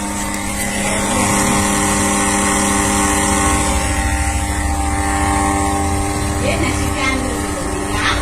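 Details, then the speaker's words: Inverter cooling fan running: a loud, steady roar with a droning hum over a rough low whir, excessive fan noise that is being repaired. "పర్లేకన్సోలా అది దీనికి విపరీతమైన fan sound వస్తుంది"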